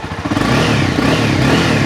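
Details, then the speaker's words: Used Honda CBR300R 300cc single, engine cold, revving cleanly with sharp, even throttle blips and no misfire or stumble; fuel pump fine and no white smoke when revved. "เสียงเร้าใจใครที่หาทรงสอรtouringนะCBR300ตอบโจทย์แน่นอน"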